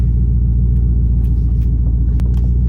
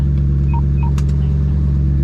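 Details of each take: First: V8 car at idle, hot after driving: deep, steady rumble with sharp metallic taps as the exhaust rubs and rattles on the chassis again, felt through the floorboard; exhaust rattling against chassis. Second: Lowered car started from inside before test drive after exhaust fixes; deep steady drone with a couple of short beeps and no exhaust rattle on the chassis, which it always did before; normal idle.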